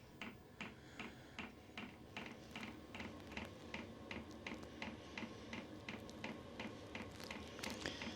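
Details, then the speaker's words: Diesel heater in a gypsy wagon starting up, warming its glow plug and blowing cold air, heard from inside; crisp, regular clicking near three per second over a quiet hum from the dosing pump, working normally. "yeah it's warming up can really hear hear that clicking"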